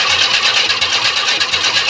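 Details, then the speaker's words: 1994 Chevy Astro van, newly installed remanufactured engine, cold, cranking during a compression check reading about 180 psi. Even, steady cranking pulses with no skipped or lazy beats; good, balanced compression. "180 180 with a cold engine"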